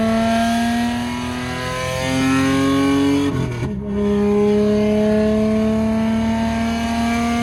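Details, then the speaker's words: Lexus SC300 driving at about 1,000 rpm with a broken exhaust and the rear section missing; a loud, raw rasp and deep drone climb with revs, with a brief dip mid-pull, from the open exhaust leak. "It is so loud, bro. We're at 1K right now. It sounds like a hot rod, man."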